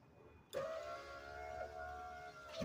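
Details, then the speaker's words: 2004 Nissan Murano 3.5L SL driver's window after window regulator replacement and greasing: motor hums evenly about two seconds, no grinding or binding, stops cleanly; smooth, healthy regulator. "I swear my grease made that better. I think that thing slides up and down nice. Yeah, sure does."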